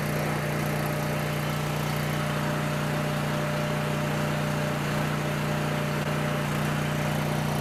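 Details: Coleman Powermate 6560 generator, after the fix for running only on choke (carburetor gaskets had been in the wrong order; oil was overfull and smelled of gas), under load: smooth single-cylinder drone, even low hum, constant speed, no hunting; normal running.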